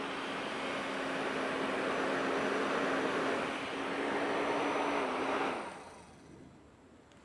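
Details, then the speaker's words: Cheap Chinese replacement power steering pump fan for a 2004 Mini Cooper, expected to be louder than the original: a smooth, even whir with a steady hum and a clean coast-down when power is cut, no rattle. "well here's the Chinese fan it's probably gonna be a lot louder than the other than the original fan"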